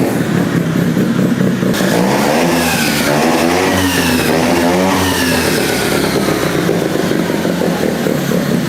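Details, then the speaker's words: Rotary-swapped Honda QA50 minibike started after sitting 6 months, ignition and choke on, starting in three pulls; loud raspy crisp exhaust revving up and down smoothly with no misses or clatter; normal running. "started up like a champ. It's been sitting for 6 months and it started in three pools."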